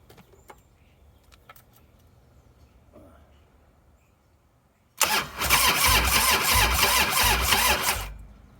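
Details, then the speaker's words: 1998 Harley-Davidson Softail, sitting since 2017, low battery, seven-year-old ignition coil: starter churns the engine about three seconds in quick, even pulses but it never fires; previously spitting and sputtering, coil suspected. "i said it was spitting and sputtering i said and now it won't even start at all it just rolls over"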